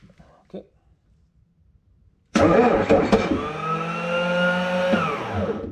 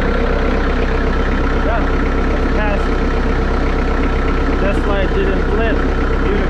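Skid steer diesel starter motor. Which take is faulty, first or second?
first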